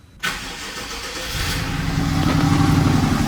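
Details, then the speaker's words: BMW 650i V8 cold start right after new spark plugs and coils: it catches and settles into a rough, uneven, stumbling idle that sounds misfiring, then the sound apparently goes away. "Sounds weird, bro. It already doesn't sound that good. I think it might still be [ __ ] up, bro."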